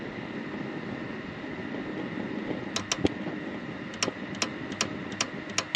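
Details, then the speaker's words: Dometic RM7732 RV fridge with aftermarket Micro P-711 control board, thermistor unplugged, in LP gas mode: steady cooling fan hum, then irregular igniter clicking after the flame is lit, as the board keeps cutting and restoring power to the igniter pin; board replaced. "it's continuously shutting off power to that pin and turning it back on again over and over again"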